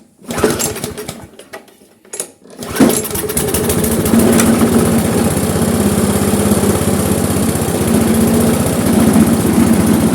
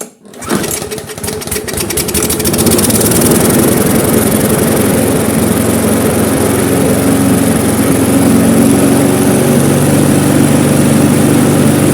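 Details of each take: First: Briggs & Stratton Classic carburettor lawnmower engine, no longer stalls: after a few pulls settles into steady, subdued run that never gains revs; low rpm from slack, stretched governor spring. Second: Briggs & Stratton Classic lawnmower engine after carburettor overhaul, with the slack spring re-looped and the linkage raised: it catches on the pull, revs up within a couple of seconds, then settles into a steady, even run with no hunting. Normal running.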